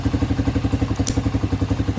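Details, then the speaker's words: Venom X20 125cc motorcycle idling smoothly after a carburetor replacement with a filter fitted on the intake hose; started first try, even steady putter with a clear intake note, no issues: normal idle. "Look. Look, and it's idling beautiful. Look at that, idling perfectly fine. No issues."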